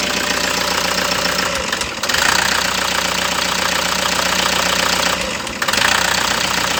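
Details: Toyota HiAce engine idling with an uneven, loose, irregular beat and occasional stumbles instead of a steady rhythm; misfire at idle under diagnosis, cause not yet found.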